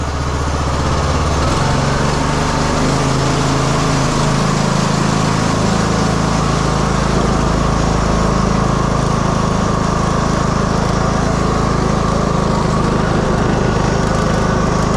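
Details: 2015 Craftsman T2200 lawn tractor, 19hp Briggs and Stratton, automatic transmission, driving in rain after transmission debris clean-out and reassembly. Engine settles to steady drone after pulling away, no grinding or slipping; drive fixed, working perfectly.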